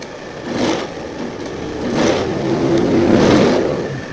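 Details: Old Honda Scoopy FI scooter, fuel pressure about 21 PSI after three key-ons: engine tries to pick up on throttle but stumbles, sags and won't rev, bogging and dying under throttle.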